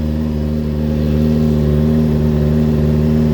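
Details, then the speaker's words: Kawasaki Ninja after rebuild, first start with a little choke, coolant refilled, now with airbox fitted: smooth, even, quiet running with no smoke, no longer throaty as before; normal running. "oh look at that on the bottom lovely that sounds good sounds really good actually very nice and smooth no smoke"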